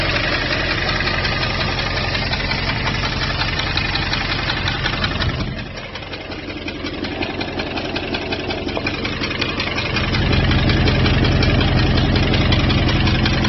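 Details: 2002 Jeep Grand Cherokee WJ 4.7, professionally rebuilt engine with 4k miles, idle tick about three per second, constant through small rev changes. It started after a restart at a rest stop; temperature and oil are normal. Loose exhaust manifold suspected, not confirmed.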